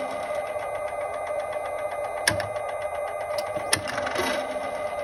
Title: 2018 Volt Transmission Clicking Noise